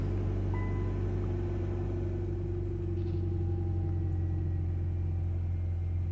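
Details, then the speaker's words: 2000–2006 Nissan Sentra 1.8 after fuel pump replacement, pump primed several times before starting: smooth, even low rumble with a steady hum and no misses or knocks; idles cleanly. "Okay, I'm gonna try to turn it on right now. All right, beautiful. That's it."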